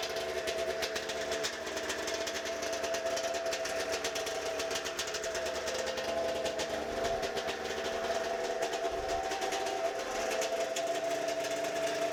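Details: First run of a pull-start 1992 Arctic Cat snowmobile two-stroke after throttle safety switch and ignition wiring fixes, with no carb cleaning; it smokes a lot. A steady, buzzy run at a fairly constant speed with no misses or stumbles; the engine runs evenly.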